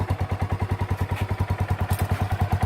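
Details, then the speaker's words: Kawasaki Bayou single-cylinder ATV right after fitting a used Kawasaki 300 muffler in place of the rotten one, with debris blowing out at first: an even, clean idle thump at about nine beats a second with no misses or rattles. "I'm sure there's some crap gonna fly out of it when I read it up I just read his thread it was in that muffler anyway there yeah I got kind of a mess going good Hildy lets it breathe really good"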